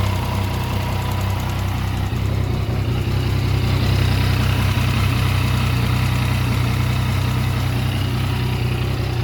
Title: Mt09 Abnormal Sound What is the reason?